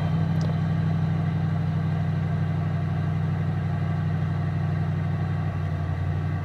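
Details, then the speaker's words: 1988 Ford LTD Crown Victoria, cold start in the garage after a miss/hesitation on an earlier cold start: steady low idle with an occasional slight stumble, cause unknown; later runs okay once warm. "yeah you can kind of hear it stumble a little bit so I'm gonna go ahead and just let it warm up and see if that goes away once it's warm"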